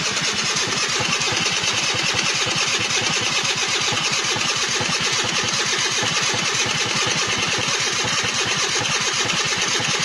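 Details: 1999 SYM Jet 50cc two-stroke scooter, previously non-running (no spark), after exhaust refitted: fast, even buzzing pops at steady pace with no misses; running cleanly.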